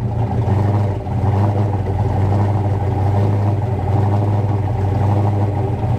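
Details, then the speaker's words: 1988 Foxbody coupe after repairing a bad coil wire and a failed ignition switch/harness in the steering column: a deep, steady V8 rumble at an even idle with no misses, knocks or ticks, a healthy-running engine. "So I'll get the camera set up here, and we'll get this thing fired up so you can hear it."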